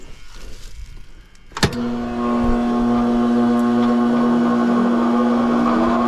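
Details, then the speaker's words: Trane condenser fan motor on an R22 AC condenser, powered up after the motor or the blade hub was suspected of making noise: it clunks on, then a steady loud hum with a rough drone, a worn condenser fan motor that was then replaced. "all right that sounds like that condenser fan motor is a problem"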